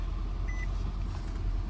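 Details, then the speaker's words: Nissan Altima 2.5 L running just after start with a new starter fitted, replacing the original factory one after a no-crank no-start: steady low even rumble, no knocks, misses or grinding; engine runs smoothly. "we're started up just like that give us some RPM just so you can believe as you see RPM needle moving car is definitely on"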